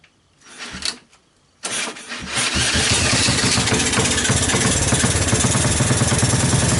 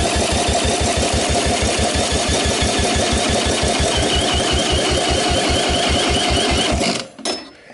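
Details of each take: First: 1984 Honda ATC 200S single-cylinder swap-meet ATV after long storage, started with starting fluid through the choke: a couple of failed tries, then it catches and settles into a busy, uneven idle; rough running, cause not yet known. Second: 1984 Honda ATC 200S single-cylinder engine cranked with a drill on the electric starter, plug out, for a compression test (about 80 psi on a dying battery): steady, even cranking pulses about three per second with no firing. Normal cranking; the engine appears solid.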